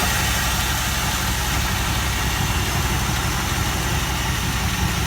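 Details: 1964 Buick LeSabre, first start after 28 years on blocks with old spark plugs and oil poured in the cylinders: steady, even low rumble, no knocks or misses, smooth idle; engine runs normally.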